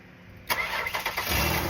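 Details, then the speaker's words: 2004 Ford Taurus, towed in with no crank, no start, no communication, after cleaning poorly connecting PCM grounds: a few quick cranking pulses, then catches to a steady idle; normal start. "Now, this car runs."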